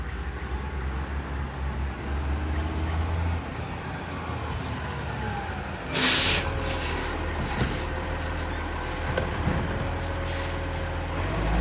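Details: Garbage truck from 2010 with a severe exhaust leak: deep diesel rumble with a rough, raspy chuffing riding on it and an air-brake hiss midway.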